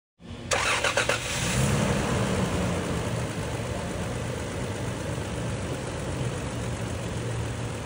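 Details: Toyota Land Cruiser V6 after repair of engine noise caused by a broken oil-gallery part feeding the camshaft: engine cranks, catches quickly, flares briefly, settles into smooth even idle with no knocking; normal running.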